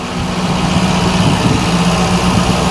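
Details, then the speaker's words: Mk1 Ford Fiesta Ghia 1.1 barn find, just started and warming up on choke: slightly raised, steady, even idle, no misses. Normal cold idle; the earlier no-start was put down to the plugs and a choke butterfly not closing on the carburettor. "well she's still going I don't want to mess with her just yet let her let her warm up a little"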